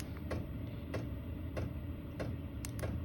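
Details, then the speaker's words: Chinese diesel air heater in a snowmobile trailer, set to automatic mode with a temperature chosen on the remote: a low, steady fan rumble with a fuel-pump tick about every 0.6 s as it throttles up toward temperature; normal. "It automatically throttles up until it reaches that temperature. Then it throttles itself back down, and it just runs at a really, really low speed."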